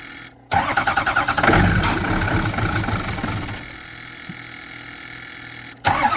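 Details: 2007 6.0 engine: starter spins the engine in a quick, even chug for about three seconds, then drops off and cranks again without catching; cranks but won't start.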